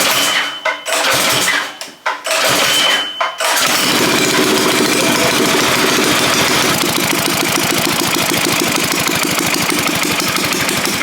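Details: Predator 212 single, after refitting pushrods and getting fuel to the carb, engine loosely mounted: a few pulls, then catches into quick, even chug with no misses; healthy start.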